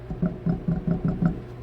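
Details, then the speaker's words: 2002 Toyota Camry, over 22 years old, rattles from the rear suspension over washboard bumps. Rocking the right rear wheel by hand gives six dull clunks, about four per second, from a loose, rough wheel bearing. The fix is a new hub and bearing. "And it's got a noise in the rear suspension over bumps, like washboard bumps. And I noticed this. That's the wheel bearing is loose."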